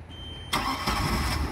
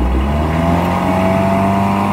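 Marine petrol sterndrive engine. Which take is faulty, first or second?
second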